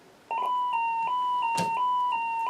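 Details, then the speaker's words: 1927 Utah Model 16 field-coil drum speaker after repairing its broken Litz wire cord, fed by a signal tracer: clean steady ~1 kHz tone with brief dips, no buzz or rattle; repair fixed it, normal output. "and that's about as loud as you should hear it in a speaker in a field coal coil type speaker so that did it that fixed my problem"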